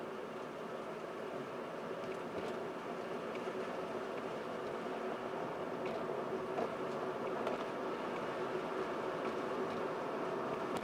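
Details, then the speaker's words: 2014 Mercedes CLA 250 4Matic cruising, microphone in the rear cabin, after rear differential fluid change and clutch resets/relearn; only soft tyre and road hum, no whine or drone, earlier driveline noise gone. "thankfully at least for this uh a simple quote unquote simple fluid change and then the resetting and teaching in of all the uh uh settings was able to rectify the noise"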